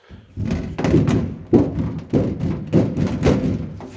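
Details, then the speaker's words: Tesla Model 3/Model Y (US, 2022, repaired after a light crash): hollow drum-roll banging and rattle under the car when one wheel hits a bump, from the thin sheet-metal battery pack cover vibrating as body geometry flexes. "все вібрує трязкає гримить і оскільки батарея є частиною силового каркасу коли колесо якесь коліс одне наїжджало на перешкоду делікатно змінювалася геометрія кузова і ми получали цей дикий звук цей барабанною дробю під машиною"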